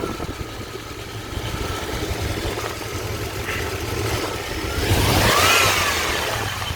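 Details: Chevy 5.7 TBI 350 V8 truck, 206k miles, original engine: quick steady ticking over idle that speeds up with throttle; caused by a loose spark plug leaking exhaust, fixed by tightening it after plug replacement.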